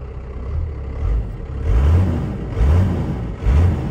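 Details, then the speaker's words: Abandoned first-gen Dodge D350 Cummins diesel pickup with a half tank of fuel, idling in neutral with oil pressure coming up, then three quick rev blips that climb and fall cleanly back to idle; deep, even rumble, engine sounds healthy before adding ATF. "sounds healthy all let's go put ATF in it but sounds sounds good sounds really good actually"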